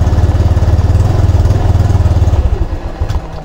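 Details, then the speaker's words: Honda Click 125 V3 scooter, 2,781 on the odometer, cold start, hard-starting and stalling in traffic: engine chugs evenly, then beats slow, stumble and it dies within seconds; idle speed set too low. "ayun oh namatay try ulit [Musika] natin"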